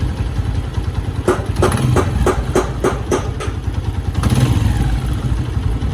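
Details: Honda 125 motorcycle: uneven clattering bursts then a shaky idle, knocking and stumbling, attributed to the petrol running out; cause suspected, not confirmed.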